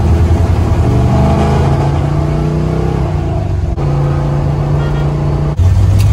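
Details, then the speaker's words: 1974 Corvette V8 on test drive after burning off oil: deep pull under throttle with uneven stumbling beat that keeps breaking up; wicked misfire under load, oil fine, Autolite spark plugs suspected but unconfirmed. "I did just check the oil. It is still perfect, but as you guys saw, it has a wicked misfire."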